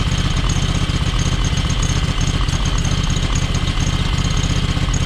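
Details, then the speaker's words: John Deere X585 running on one cylinder with intermittent intake popping: uneven low idle, about 2.5 pulses a second, with occasional pops and dropouts; both spark plugs seem fine, owner suspects valves, not confirmed. "You know, the fact that you can pull the plugs and it runs on, clearly runs on one cylinder. And that popping that you hear, and I don't know if you can hear that popping, but every now and then you h"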